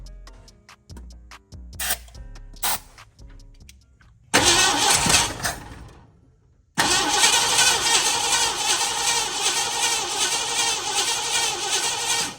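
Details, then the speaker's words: Blue dually truck with carburetor, after fuel pump replacement and freeing a stuck starter solenoid: cranks, catches briefly and dies, then restarts and holds a steady roar; fuel leaks seen at carburetor front bolts: engine running after restart. "she runs all right looks like we got a couple leaks in front of the carburetor"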